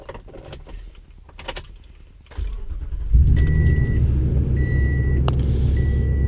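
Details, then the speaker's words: Toyota Tundra cold start in freezing weather after sitting untouched 11 days: short crank, maybe a slight starter hesitation at the very beginning, catches at once and settles into a smooth steady idle over a door chime; normal healthy cold start. "Sounds good. No hesitation or anything. Maybe a little bit on the starter in the very beginning."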